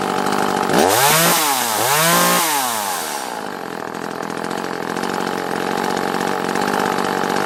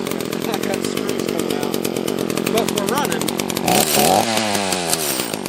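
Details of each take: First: Echo CS-330T top-handle chainsaw after the gasket blocking the carburetor vacuum pulse port was removed, run with the tank fitted: revs rise and fall, then hold a steady high buzz without sputtering; normal running. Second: Echo CS-330T top-handle chainsaw with carb set a half-turn out on both screws: revs surge and sag unevenly, a lean fuel-starved stumble; possibly running out of gas.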